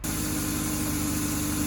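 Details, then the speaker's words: BMW E36, cold engine idling with the serpentine and AC belts removed: a smooth, even idle with a steady hum and no ticking, showing the engine itself runs clean and the ticking comes from the belt-driven area. "As you can see here, with nothing attached, the car runs pretty beautifully, actually."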